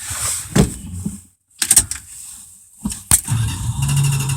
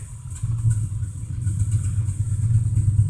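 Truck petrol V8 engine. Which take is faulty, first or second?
first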